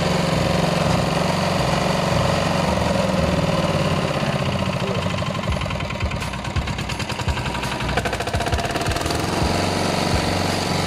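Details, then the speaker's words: IMT 509 two-wheel tractor, 14 hp single-cylinder diesel, rope-started after half a year unused: starts first pull, rapid steady chug about four beats a second, evenly paced without misses; runs healthy. "Evo ljudi, kao što ste vidjeli, znači malo smo ga provozili i evo ga vidite kao što ste vidjeli, znači pali iz prve, posle pola godine,"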